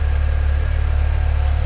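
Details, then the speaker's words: BMW 335i N54 with newly installed Chinese 17T hybrid turbos and new inlets, first start after sitting over a week, water temp rising, oil still cool: deep even idle, no turbo whistle or squeal, sounds as before; normal idle. "Turbos aren't squealing. No, it sounds good. It all sounds really good. It sounds like it did before."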